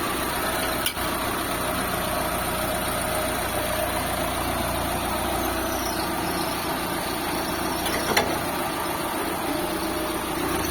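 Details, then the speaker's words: Engine in a Lancer "itlog" after engine replacement, final start-up: quiet, even idle with a soft steady hum, no knocks, misses or rattles; no more blow-by, restored to standard, fan no longer wired direct. Normal idle. "So sige, start natin boss. Yun. Sobrang tahimik na mga bossing."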